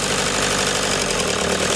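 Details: Toyota Hiace diesel idling with engine vibration and a hard, clattery knocking over the steady run; cause not pinned down.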